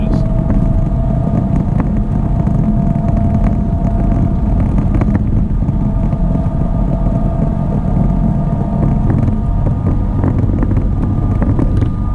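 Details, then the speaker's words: 1987 GMC Vandura van driving and gathering speed: loud, steady airplane-like roar with humming tone over road noise from worn rear axle bearing, with no vibration at all. "And this thing is making the same type of noise. It sounds like an airplane taking off going down the road. But it makes no vibration whatsoever."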